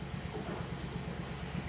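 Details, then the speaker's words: 2017 Nissan Titan 5.6L V8 at idle: low, lumpy, stumbling exhaust beat. Mode 6 data shows misfires on the odd bank and none on the even bank, so one side of the engine is at fault despite parts already replaced. "So it tells me there's a problem on one side of the engine."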